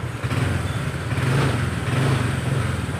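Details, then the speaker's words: Honda Vario scooter that stuttered at low and high rpm, test after the fix: engine picks up cleanly as the throttle is blipped, smooth rise with no stumbling or hesitation, whereas before there was no response. "Lihat, ini responsif, sedangkan sebelumnya, ketika saya membatasi kecepatannya, tidak ada respons sama sekali. Tapi sekarang ia merespons."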